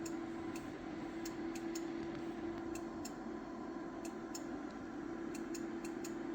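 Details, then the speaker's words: Powerwall-type battery at 100% charge for the first time, 54 V, 7 A, 200 Ah: sharp, irregular ticks every half second to a second over a steady low hum; source of the ticking unknown, possibly a relay. "so I don't know what that is does anybody have any of these power wall type batteries um it's the first time I've heard it it's the first time my battery has been 100% charged"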